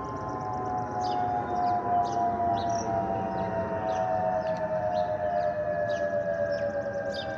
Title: Delta Airlines Airbus A320-211 N323US DL2559 PWM-DTW (FOPP whistling sound)